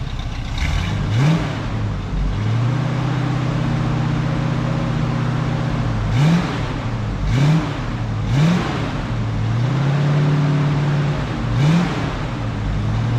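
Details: 1967 Camaro V8 after 6 years of neglect: low idle hunting and surging, revs rising and sagging every second or so. Edelbrock pump pressure suspected, two glass fuel filters fitted; rough idle, carb to be rebuilt.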